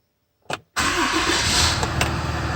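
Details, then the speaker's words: RAM 5500 6.7 Cummins diesel after upper fuel filter replacement and priming, restarted: short crank, fires immediately and holds a steady even idle with no stumble; normal quick start. "Beautiful. Fire right up. Very nice."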